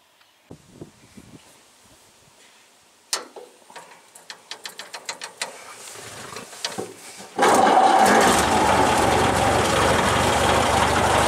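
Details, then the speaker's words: Traditional hot rod's old engine, progressively damaged and barely run for ages, started for one last run before removal and replacement; after a few seconds of cranking clicks it fires into a loud, ragged, clattery rattling idle; burnt valve. "what we're going to do is take it for One Last Dance I'll let you have a listen if we can pick up the uh it's the end of this engine rattling away"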